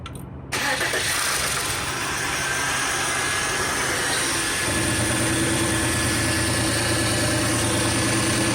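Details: VW/Audi V6 (AHA/ATQ) after timing belt job with new lower roller, other parts reused, everything aligned: engine catches quickly and settles into an even idle with no rattle, whine or squeal from the belt area.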